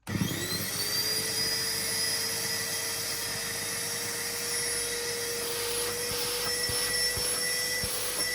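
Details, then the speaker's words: Numatic Henry HVR200 vacuum after fitting homemade new motor brushes, running without filter or hose: steady high whine with faint uneven flutter; better than before but not right, smells burnt, owner suspects a cooked winding, weak suction. "It's definitely better than it was. It's not right. It smells a bit ary, but I might just leave it outside running for half an hour and see if it wears in."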